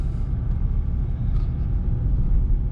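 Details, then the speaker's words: 2018 VW GTI SE driving slowly on 93 tune: only low road rumble, no squeak or creak over bumps; the squeak is fixed completely. "Just going slow here. Nothing. Hell yeah. I'm super stoked on that. Took care of the noise completely."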